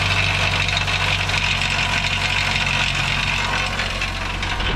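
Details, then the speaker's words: 2008 Subaru Outback, 180,000 miles, idling after long crank: loose tinny metallic rattle over exhaust note from the catalytic converter; self-tapping screws briefly silenced it, owner pretty sure cat is bad and replaces it. "i don't know if you guys can hear it all that well but the thing is definitely rattling"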